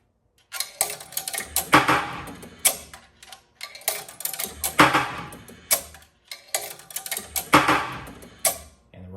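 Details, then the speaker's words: 1976 Bally Flip Flop pinball coin door after straightening the bent left coin chute: three coins drop about three seconds apart, each a sharp clack and rattle; both coin mechanisms accept coins reliably. "So, that is the coin door completely done. Looks good on the front, looks good inside, and it works like it's supposed to."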